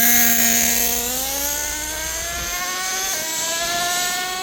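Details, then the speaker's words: Kyosho USA-1 nitro RC truck: screaming nitro engine climbs, pitch drops cleanly at the shift into second and winds up again; second gear shift point now correctly adjusted. "there you go small adjustments at a time [Music] things sounds awesome"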